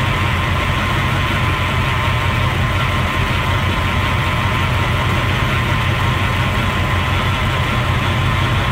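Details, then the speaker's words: Vintage RV idling after the Hydroboost was bled and fluids renewed, vacuum about 11–12 psi: a constant thin whine over the engine rumble, a noisy power steering pump, slightly worse than before; the owner suspects low fluid or air still in the Hydroboost system. "oh it's a little worse than it was last time might have to put more fluid in the system noise"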